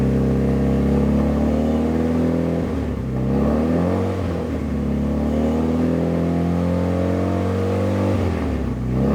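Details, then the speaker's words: Fully built Evo 9 during break-in after first start and an oil leak fix, warming toward 185–200°F: smooth repeated blips between 2,000 and 3,000 rpm with some backfiring, each rise even and clean. It sounds healthy. "it sounds so good it's like backfiring and stuff now rant between 2 and 3,000 RPMs"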